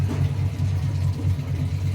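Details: Samsung Diamond drum automatic washer after repair, with its faulty controller board replaced by a Samsung Wobble board: low rhythmic churning at about four to five swishes a second, steady and even as the drum agitates once fill stops; normal wash agitation.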